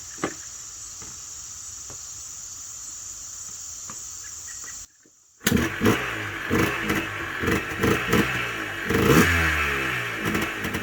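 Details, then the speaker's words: Yamaha Blaster two-stroke after the stock exhaust pipe was cut to make it less restrictive, plus performance parts: it starts, then revs in crisp repeated blips with a sharp, crackling, noticeably different note. It sounds healthy and responsive. "Right off the bat, you can tell there's a totally different sound to this"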